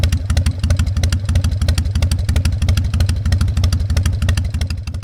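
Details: Harley-Davidson Fat Boy Evo 1340 V-twin, started after winter storage with a cleaned carburetor and jumper cables: deep, loping uneven potato-potato idle about three pulses a second, steady; healthy.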